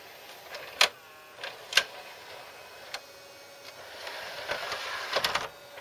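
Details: RCA SKT-400 CED videoplayer, newly bought; quiet whirring mechanism broken by irregular sharp clacks and rattles about once a second; unclear whether normal, cause unknown.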